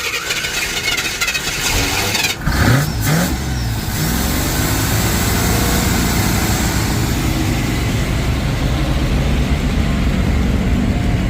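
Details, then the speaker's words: 1987 Chevy K20 plow truck, 350 small block automatic, first start in years on fresh premium fuel: catches with a bark, then lumpy uneven idle over deep rumble; won't idle without throttle, spark timing suspected. "got the keep his foot on the gas she don't want to idle still don't want to idle"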